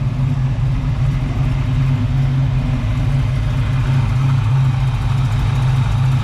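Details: 1978 Pontiac Firebird V8, freshly installed engine with small cam, exhaust on: deep, even burble with steady lope, no misses or knocks, all cylinders firing per thermal camera; normal idle.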